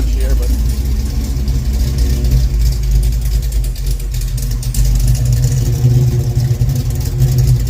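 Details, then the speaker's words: 1974 Camaro Z28 with rebuilt 400 small-block Chevy, AFR heads, cold start after over a week unused: deep steady low rumble at cold idle, even beat, no knocks or ticks; healthy after briefly stumbling. "But I haven't probably started this in well over a week. Yeah, I go. She's idling now."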